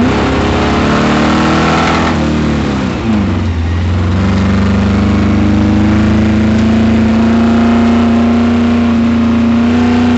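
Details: Camaro at autocross, full throttle with rising pitch: rough uneven beat, first thought to be a misfire, revealed on the next lap as a spun rod bearing.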